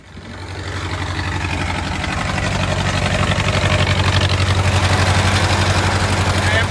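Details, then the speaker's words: Old Detroit Diesel woodchipper engine (possibly a 4-71), pulled from the weeds and started: steady deep diesel idle with a sharp regular chuff about four times a second, an exhaust leak; might overheat soon. "have an exhaust leak it might be overheating soon but she's a runner"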